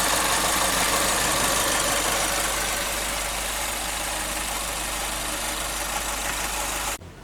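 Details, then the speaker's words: 2012 Chevrolet Spin at idle: rapid light ticking, three or four per second, that the owner described as a loose, tinny knock. It is the canister purge solenoid, and the sound stops when the solenoid is disconnected. "Mas o barulho tá vindo daqui, ó. Da eletroválvula de canister."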